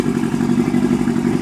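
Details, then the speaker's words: 1991 Suzuki Katana 600 sport bike, about 50,000-55,000 miles, red coolant hoses, aftermarket gauges; steady even idle burble with no knocks, misses or rattles; still runs good. "Alright, so I'm gonna go ahead and start it up. Let you see what it hit. Let you hear what it sounds like and let you see it run."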